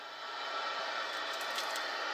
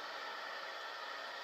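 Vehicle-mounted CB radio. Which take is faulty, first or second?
first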